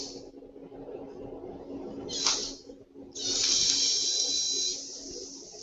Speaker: and right then and there I'll play it again you can hear the switch arcing and staying on it's like an alarm clock like you should be up in the morning cooking breakfast